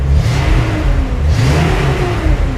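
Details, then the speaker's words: 1976 Datsun 280z 2+2 junkyard revival, automatic, driving around the block with exhaust now fitted: deep smooth rumble rising and falling with revs, no rasp or ticking, much quieter than before; normal exhaust note. "Hear how quiet it is now with the exhaust on it."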